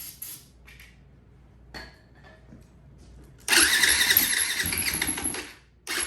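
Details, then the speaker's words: 2004 Yamaha WR450 single after sitting, new battery fitted, electric start with brake clean: starter whirs, weak pops, then a rough two-second burst that fades; hard start, owner suspects gummed-up carburetor. "Let's try the brake clean here. It sounded like it wanted to pop off."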